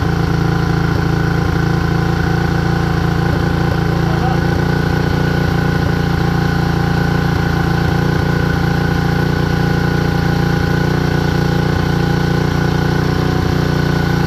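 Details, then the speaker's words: Predator 224 Hemi Max Performance engine on a minibike, first start after the build: a steady single-cylinder idle with an even putting beat, running smoothly. The carburetor is leaking fuel, suspected flooding from a stuck float or needle. "but it ran right it ran very nice I'm happy I want to hear it run one more time even if it does have a fuel leak"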